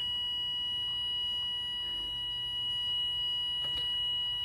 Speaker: if the water is close to the target water amount you will hear three beeps when water hits the target amount you will hear a long beep sound once you hear this stop pouring water